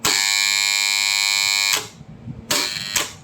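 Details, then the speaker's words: Three-phase motor-protection magnetic contactor coil energized at 230 V, with phase and neutral on A1/A2. A crisp, steady electrical hum as the coil pulls in and closes, held evenly until cut off; the contactor coil is working normally. "பாத்தீங்களா ஒரு கிர்ன்னு ஒரு sound வருது. அதாவது A1 A2ல நம்ம supply கொடுத்தா base ஒயரும் neutral ஒயரும் A1 A2ல கொடுத்ததுனால இந்த coil 230 வோல்டேஜ்ல நமக்குஃபங்கஷன் ஆகுது."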